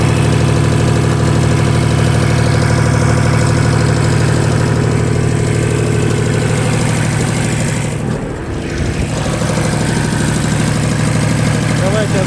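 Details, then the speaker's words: Japanese Shibaura SL1643 4WD three-cylinder diesel mini tractor, just imported from Japan with no use in Russia. A steady, even diesel chug at idle with no knocks, rattles, misses or extraneous noises. The engine runs smoothly and sounds healthy. "это вот леонид наш двигатель под и их посторонних шумов сдаем работает ровно главное во время менять"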